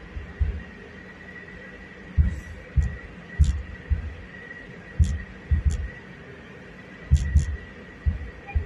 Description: Thumping noise from the front end of Subaru outback 2018 2.5i CVT